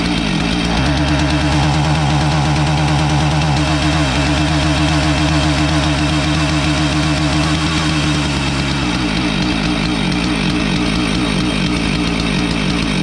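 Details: Husqvarna 450 chainsaw that starts but won't rev: uneven two-stroke run that stumbles and breaks up, skipping beats and bogging on throttle instead of climbing; spark tester erratic, ignition module suspected versus carb, unconfirmed.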